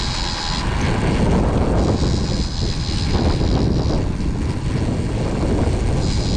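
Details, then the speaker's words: Cheap AliExpress 200mm front disc brake caliper and bracket set fitted to a motorcycle's 10-inch front wheel: thin high-pitched hiss-squeal over the running rumble, sounding while braking until stopped and gone once the brake is released; source unclear. "この音は何でしょうか？ブレーキを離したら音がしない。"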